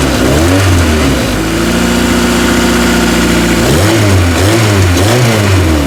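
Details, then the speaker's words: Honda (Acura) DA Integra, started after finding a fuel pump switch under the back seat: smooth idle, then a clean held rev and quick throttle blips returning evenly to idle; normal running. "Oh, it runs. Man, it sounds good. She sounds really good. Listen to that."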